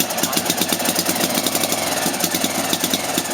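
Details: NSU Max single-cylinder motorcycle at first start, kick-started, fuel on, oil circuit checked, rear fender not yet fitted, a little smoke from various places: steady, even, quick single-cylinder putter with no knocks or misses. It sounds right, a normal idle.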